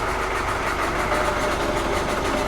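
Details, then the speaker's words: Volvo Penta KAD32 marine diesel in a 2001 Sealine S28 after primary fuel filter change: briefly starved by airlock in the filter, then revs come back up as the filter fills; steady even idle, normal. "As it fills that filter up and pulls more through. There we go. Sounds like the revs are coming up again."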